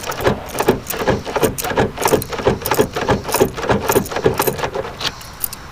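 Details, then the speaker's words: Sticking door lock (Camaro or other vehicle) after spraying WD-40 into the cylinder and working the key: light metallic clicks with key jangle, the cylinder now turning smoothly and freely without binding. "Now you can actually hear it working. And see how easily that's turning?"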